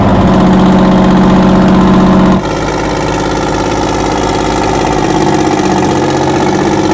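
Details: 60-year-old US-imported Massey Ferguson 98 tractor with factory Detroit Diesel GM 3-71 two-stroke, after significant restoration: steady, even beat that settles after a shift in speed, no knocks or misses; normal running.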